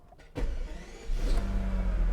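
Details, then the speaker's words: V12 Mercedes 600 started after accumulator work and refilling fluids, battery reconnected: short starter whirr, then it catches with a sharp rise and settles into a deep, smooth, even idle; healthy start. "we've got some power and let there be life i love this sound listen"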